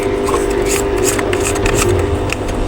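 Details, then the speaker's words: Home theatre amplifier with a burnt D2030A output IC, found by multimeter check, makes a loud, constant low drone with a steady midrange tone through the speakers, a painful hum; fixed by replacing the IC. "इस आवाज को दोस्तों humming की आवाज बोलते हैं यह एक प्रकार का नोइज है जो कानों में दर्द जैसा महसूस कराता है"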